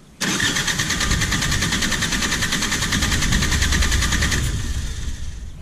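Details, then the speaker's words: Perkins 4-cylinder diesel in a JCB 208S backhoe, injector removed for a compression test: even, steady starter cranking at about 300 rpm, gauge reading just over 400 psi on this cylinder; healthy cranking compression. "so yeah it's reading right about 400 a little bit over 400 and that's about what i expected so that should be good that cylinder is uh building up enough pressure and that should be fine"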